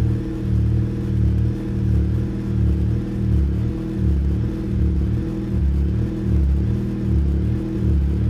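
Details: 2007 Chevrolet Cobalt SS with ZZP catted downpipe and GMPP catback, first start after six months in garage on a charged battery: deep steady exhaust rumble with a gentle swell, idling evenly without misfires or knocking.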